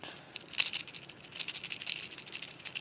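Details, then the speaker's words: Failed start relay from a refrigerator that ticked and stopped cooling, shaken by hand: light tinny rattling of loose broken pieces inside; relay works with the overload to start the compressor, to be replaced. "know if you can hear that the insides of it are shot"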